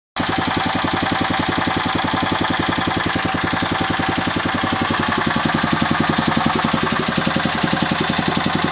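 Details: Agros walk-behind tractor single-cylinder engine running with a steady, fast knock that grows sharper midway; the owner does not know the cause.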